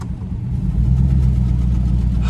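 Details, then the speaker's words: 1998 Mercury Grand Marquis, sat over two years, driving: deep engine rumble climbing with revs, with a loose, buzzy rattle from the rotted exhaust shaking underneath. "hear the exhaust rattle like that? Yes. Yeah. Dude, that's funny."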